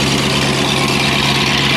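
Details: Yellow turbo truck, first start with no coolant yet, alternator unhooked, about 1000 rpm with vacuum showing: even, steady idle with no knocks, misses or surging; running smoothly.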